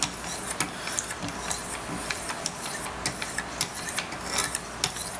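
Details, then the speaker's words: Sharpening a Large Sebenza 21 Insingo on a Wicked Edge Pro with 1600 stones: dry scraping rasp with gritty bursts each stroke as the stone tips and catches the edge corner instead of riding flat. "hear that grinding it's like when you don't get it flat you get the corner a little bit you always got to get it flat"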